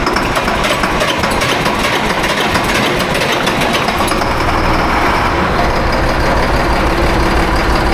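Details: Farm diesel after new turbo and injectors, air purged from fuel system: catches and settles into steady busy run with rough clatter on top, no misfire or stumble; normal running.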